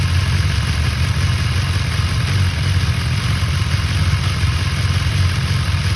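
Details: 2019 BMW S1000XR Gen 1 motorcycle idling: steady low engine rumble with a light metallic clatter on top; cam chain rattle is suspected but not confirmed.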